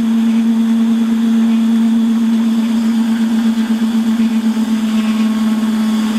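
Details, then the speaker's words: Holzmann ED400FD lathe at 600 rpm, automatic feed, turning a bar to 24.85 mm. Loud, steady hum with a fluttering edge throughout the cut. Chatter because the bar is clamped with a long overhang. "ja und wie man hört ist das geräusch das lebe also ist es wirklich darauf geschuldet dass das einfach so lange ausgespannt ist und weil der spitze gesetzt"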